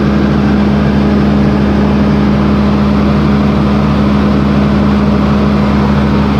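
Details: John Deere 8320T tractor, 8.1 L diesel, idling with the valve cover off after the overhead valve adjustment: deep, steady idle with an even low hum and no knocks or misses; the engine runs smoothly.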